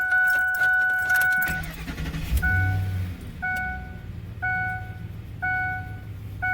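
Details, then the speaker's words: 2007 Ford F-150 with about 374,615 on the odometer (km per owner, miles as said), bought in 2017: starter catches quickly and the engine settles into a smooth, even idle under a repeating chime; starts and runs great. "But guys, it starts up great. I'll start it up here."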